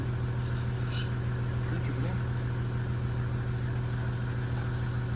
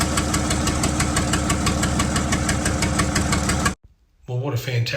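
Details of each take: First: 1975 White 2-150 tractor, dormant 19 years, engine still a bit warm: steady even cranking at about 100 beats a minute that never catches; oil pressure up to about 20 psi but no fire after some 40 attempts, Aerostart considered. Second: 1975 White 2-150 tractor diesel running after about 19 years dormant, unmuffled before a secondhand exhaust was fitted: loud, regular firing beats about three per second, running evenly before shutting off; normal running.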